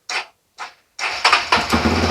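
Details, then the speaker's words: Honda CRF bored up to 300cc, started on the battery: two cranking bursts, then an even, steady idle with no knock; piston and crankshaft judged still good, with the problem in a loose one-way starter clutch bolt. "Jadi kenapa saya demikian dipasang biar tahu suara mesinnya Apakah ada yang berubah atau enggak dan ternyata suaranya Masih normal jadi otomatis piston kruk as nukon as dan segala macam itu masih dalam kondisi bagus"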